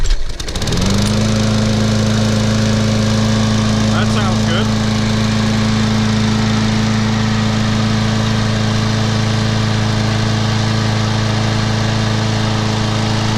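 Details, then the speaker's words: Craftsman mower with 190cc Briggs & Stratton engine, after replacing too-thin oil with SAE 30 to fix poor compression: starts first pull and settles into a steady even hum, no misfires or rattles; watching muffler for oil smoke. "sounds real good see if it burns any oil out of this muckler"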